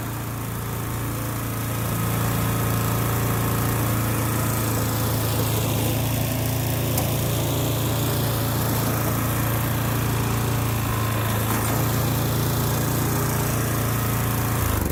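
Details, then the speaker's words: Lawn mower cold start for spring, with the blade-engagement cable still a little tight. Steady drone settles after start-up with no squeal, slap or knocking from the belts; normal healthy running. "Cable's still a little tight, but the cable on the blade engagement, but it sounds like all the belts are still good without taking it apart to look at it. Everything sounds solid."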